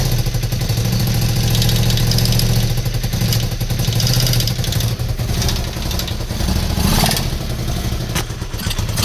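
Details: Honda VT250F with a used contract replacement engine: V-twin running with an uneven knocking tap over the exhaust beat, about three or four a second; internal engine knock, cause unclear.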